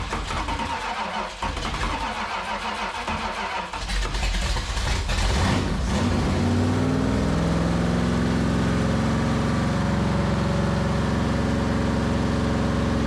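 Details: 1973 Dodge Dart 340 V8 with 727 transmission, sitting for years, revived on little fuel in the carburetor bowl: rough cranking and catch, then a steady even idle with no knocks or misses; runs fine.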